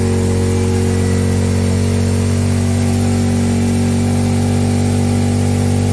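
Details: Trailmaster Challenger 300 go-kart side-by-side single, which died at stops, after replacing its broken carburetor, before adjustment; fast, steady idle holding evenly without stumbling or dying.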